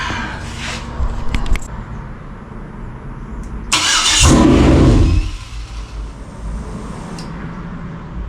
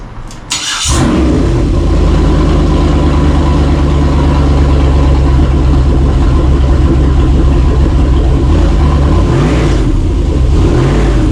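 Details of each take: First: 2003 Yukon 5.3 L LS engine on a stand for a 1994 C1500 swap. Brief cranking, then a one-second burst as it catches and immediately dies. It won't stay running with the body control module unplugged; plugging in the module got it running. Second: 2003 Yukon 5.3 L LS V8 on engine stand for swap into a 1994 C1500, first start after plugging in the body control module: catches after a brief crank and settles into a steady, even low idle, no knocks; normal idle.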